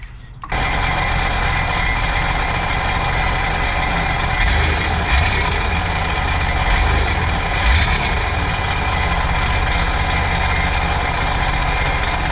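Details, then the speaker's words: 2009 Sea-Doo GTX 215 supercharged jet ski after new coil: engine fires then runs a rough, uneven drone that never smooths out, cylinder one still missing; owner suspects clogged or stuck injector. "Still not changing its tone. My guess probably a clogged injector."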